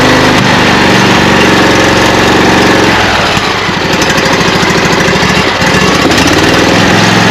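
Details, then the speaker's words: Craftsman 42-inch riding mower with 24 hp Briggs & Stratton V-twin, just started on choke after fuel solenoid swap: uneven, lumpy running as if on one cylinder; left cylinder cooler, carburetor problem suspected. "even though I got it started it doesn't sound like it's running on both cylinders"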